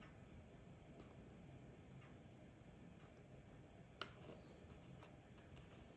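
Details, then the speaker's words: Old Rolex automatic after complete overhaul, started, not yet fully wound; faint even ticks over quiet hiss, steady beat, no skips; balance running normally. "Start it up again. I mean, that's going, man. That is that's moving."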